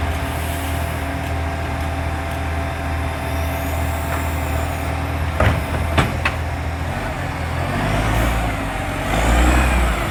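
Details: Loud diesel exhaust leak on a 3520: heavy idle rumble with a rapid puffing chuff, about four beats a second.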